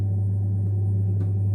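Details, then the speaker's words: Saunier Duval gas boiler running quietly and smoothly, a steady low hum with no rattles, clicks or roaring, after the F2 error on hot water was fixed by replacing the pressure switch; the boiler runs normally. "Котел работает тихо. и бесшумно."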